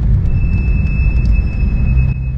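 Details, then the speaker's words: 2012 Porsche 911 (991.1) while driving: steady high-pitched brake squeal over road rumble; fronts recently replaced so rears suspected, no wear indicator light on dash; unevenly worn rear pads, replacing them solved it. "can hear that it's pretty bad i think it's coming from the rears because not too long ago i replaced the front pads and rotors and so i'm guessing that it's probably the rears"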